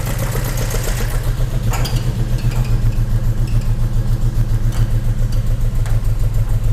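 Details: Volvo 145 old carburetted petrol engine at its MOT: steady, even beat with deep low rumble, no knocks or ticks. Running okay, healthy.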